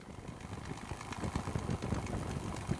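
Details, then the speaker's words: P-51 Mustang "Crazy Horse" minimum idle check before takeoff: low, lumpy idle with a few soft irregular pops over a deep rumble; popping normal, idling at 7 within the 6–7 spec, mag P-leads checked good. "We're going to do a minimum idle check. You can hear a little popping, that's going to be totally normal. It should idle between 6 and 7, there's 7."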